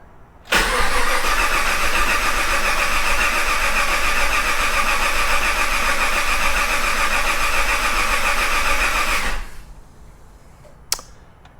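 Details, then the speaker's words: Project Crewman engine crank no-start after fuel restored to rail: about nine seconds of even cranking with no firing; injectors not firing because VATS security immobilizer was still on. "It is no longer a fuel delivery problem. Injectors aren't firing, some sort of security immobilizer, something."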